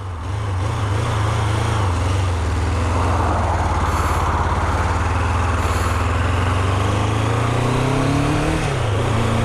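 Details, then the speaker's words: Triumph Daytona T300 with intermittent engine failure, warm, while riding and backing off: low, lumpy, uneven beat dipping when throttled, like only one cylinder firing; severe misfire, owner suspects refurbished fuel tap or crankshaft position sensor. "jesus it sounds like a single cylinder we're backing away"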